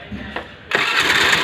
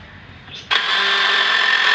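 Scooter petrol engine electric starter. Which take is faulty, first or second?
second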